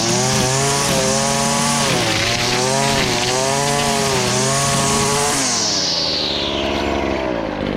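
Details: Stihl FS70R two-stroke string trimmer after repair (bogging and no power traced to a fuel mix with far too much oil, clogged spark arrestor and gummed carburetor, carburetor cleaned): strong high buzz holds speed cutting growth, brief dips recover cleanly; normal running under load.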